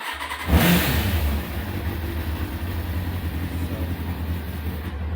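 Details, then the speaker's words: Kawasaki ZX6R after MOT, refitted with the longer, thicker standard silencer, in an enclosed garage, briefly warmed: catches quickly, brief blip, then a smooth, deep, steady idle without harsh rasp; much quieter, sounds like a stock bike. "it sounds much more like a standard bike it's not much more noisy than my car if I had my car in here fully made about that much noise"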